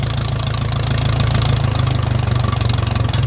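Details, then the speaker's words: Ferguson tractor, throttled right down; slow, even low thump of a four-cylinder firing cleanly with no misses; runs nice and will idle like that all day; normal healthy idle. "right down you'll just sit here and idle like that all day this is a great engine in these fergusons"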